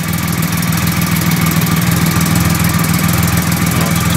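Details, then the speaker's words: 2008 Triumph Rocket 3 triple after starter relay mod: starts quickly and settles into a deep, even idle with steady low pulse, no misses, knocks or hunting; running smoothly. "alrighty well it looks like a bloody winner that does terrific"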